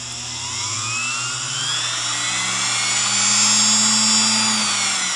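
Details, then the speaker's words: Singer PA-style model 600 sewing machine motor soaked with about 40–50 drops of oil: thin, high whine climbs then holds steady as it restarts and keeps running despite contamination. "let me see if it'll start up and run again come on me there we go"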